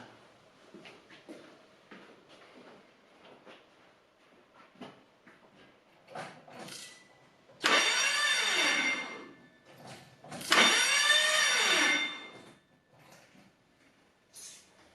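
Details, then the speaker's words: Corrado VR6 turbo 4WD build, first crank after new wiring and plumbing: two loud cranking bursts with a whine that swoops down and up instead of an even spin; abnormal cranking noise, cause unknown. "Right, let's crank it over, guys. See what happens. That doesn't sound good. What's going on there?"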